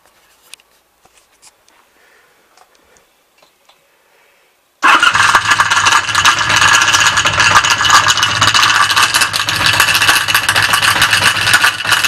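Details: VFC 1100 motorcycle engine at a morning cold start: after a few seconds it catches and idles with a busy, rattly ticking over the idle. The source is not pinned down.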